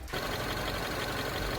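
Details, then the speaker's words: Mini, 1.6 L turbo engine, scanner shows misfires on cylinder 2; compression test confirms blown head gasket between cylinders, sent for gasket replacement: rough, stumbling idle with uneven tapping and dropped beats. "Ось такий звук дає пробита прокладка ГБЦ."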